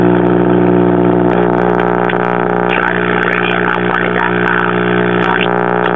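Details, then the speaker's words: 1968 Zenith AM tube radio, model Y114C, chassis 5M04, a hot-chassis set, after tube warm-up. A loud, steady low buzzing hum with faint stations underneath. Mains hum from a failing filter capacitor, due for replacement. "I'm hearing the stations behind the home so after we replace the filter capacitor it'll probably be okay"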